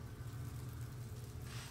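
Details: 1956 Chevy Nomad, sat over two years, after carburetor and fuel system work: low, even engine rumble at a quiet idle with no knocks or ticks; running smoothly.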